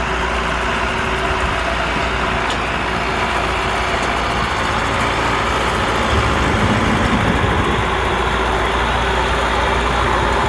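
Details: Allis Chalmers 6080 tractor diesel on its first work after an overhaul. A steady, even drone holds its pitch under mowing-deck load with no knocking or surging: normal running under load, with low fuel use.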